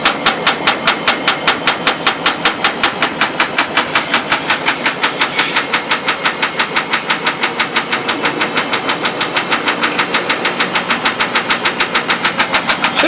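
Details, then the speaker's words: GE Profile washer/dryer combo after a technician replaced the door seal gasket: fast, even clatter of about seven knocks a second as the machine shakes and bounces through spin, new since the repair; cause unclear. "I don't think a brand new washer should be going crazy like this and making a rattling noise"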